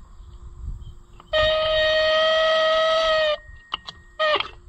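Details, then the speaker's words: Fiat tractor original horn after repair, reinstalled; buzzy tone for about two seconds then a short blip, thin and feeble; owner suspects low battery or damage; weak horn. "well what's happening that's not very very loud uhoh I might have broke it surely my battery's not too low is it that sounds like a dying unicorn"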